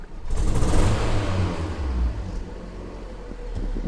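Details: Fiat Punto 188: uneven, stumbling idle with irregular low thumps and a hunting beat instead of a smooth run; engine misfire.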